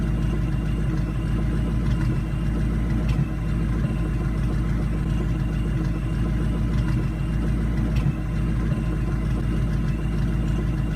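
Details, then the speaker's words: Supercharged New Edge Mustang GT V8 (Vortech V1 Ti-Trim, 2.87 pulley), just returned from a shop after a tune: a lumpy, uneven idle with irregular stumbles. Misfiring noticed once it reached operating temperature. "you guys could definitely go ahead and tell that the car is in fact misfiring"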